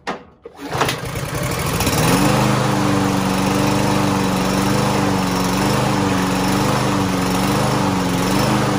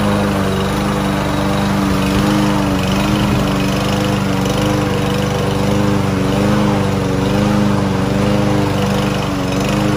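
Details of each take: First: Lawn Boy lawn mower unused for almost a year, not starting, fed starting fluid: after a cough the engine catches and climbs to a fairly steady drone with slight hunting, running a little longer but still recovering. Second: Land boy lawn mower, sat unused almost a year and wouldn't start, after cheap bottled-additive fix: steady even single-cylinder drone while cutting grass, no misses or surging; running healthy under load.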